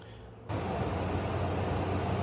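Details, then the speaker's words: Midea U window air conditioner after a fix for the cranking noise, with spacers fitted between the electronics compartment and the rear casing: low steady hum and smooth airflow hiss, no rattle or cranking knock, extremely quiet normal running. "test run is looking good while we're at it I recommend drilling a hole in the corner of the case on the lower part so that the water can escape it's extremely quiet so H it works"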